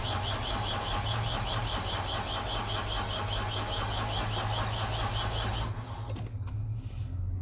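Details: Nissan Primastar that won't start without its instrument cluster: steady rhythmic cranking at about two beats a second that never catches, then stops; the starter turns but a CAN bus fault prevents running.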